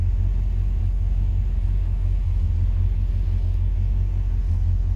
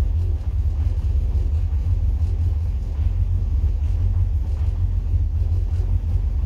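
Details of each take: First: 1963 Falcon, turbo 2.3L (144 cu in), aftermarket throttle body: low, steady idle rumble with no stumbles, hunting or surges, not fully warm at about 172–178°F, ECU in closed-loop learning. Idle now running much better, balancing IAC (target 6–10%) against throttle blade opening. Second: 1963 Falcon, turbo 2.3L with aftermarket throttle body, IAC motor and TPS: steady, deep, even fast idle with no stumbles, about 1500 rpm cold. The ECU adds 400 rpm over the roughly 1050 target when cold, so the idle runs high.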